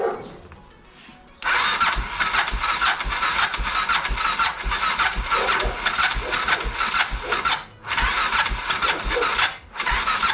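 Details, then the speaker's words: BMW F650 (Rotax 652cc single) cranking after its carburettor was rebuilt and refitted; uneven starter whirr bursts with breaks, engine not catching; owner suspects the starter clutch has gone and is slipping rather than engaging. "and then also it sounds like the starter clutch is also gone now so I'll have to replace that"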